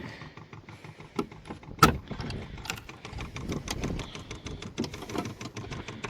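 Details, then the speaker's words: Vevor diesel heater with Bluetooth remote, installed outside a shed studio, priming in strong wind: quiet, fairly regular light ticks of the fuel pump working; no fuel seen in the line yet. "you can hear the pump working. I can't see fuel in the line yet, so it's not getting it."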